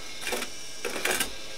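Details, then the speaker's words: Sony MDS-JE480 MiniDisc deck with a blank display, red standby light and dead power button: two short mechanical whirring bursts as the mechanism keeps cycling in a loop and will not pull the disc in; cause suspected, not confirmed. "Sound like the mini mechanism stuck in a particular loop or something like that."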